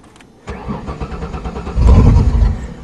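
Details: 1994 Ford Taurus wagon restarted after adding fuel and priming the pump: short crank, then it catches and settles into an uneven idle with a brief rev; starts and runs.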